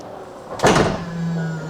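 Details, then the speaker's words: Tesla liftgate cinch after replacement of the motor that pulls a cable drawing the gate into the lock: thud, about a second of steady low motor hum, firm latch click; trunk adjusted, working normally. "Yeah. That's the motor that pulls the lift gate towards the lock mechanism or something. Correct. So after this one, after replacement, it started to work again."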